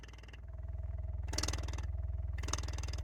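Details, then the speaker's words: Alpine shallow-mount subwoofer running outside an enclosure at about 24–25 Hz: deep low thrum pulsing about four times a second with loud breathy port chuffing like a helicopter, expected without a box. "both of them are like most of the subs will have some chuffing happening because they're supposed to be mounted in the box so it's not really a surprise yes 25 Herz 24 Herz Alpine is chuffing like a helicopter yeah no surprise at all"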